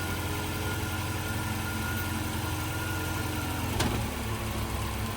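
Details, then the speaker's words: 2010 Ford Fusion started on a jump box, the engine settling into a steady, even low idle; the engine itself sounds fine. "Jump box is hooked up. Started right up with a jump."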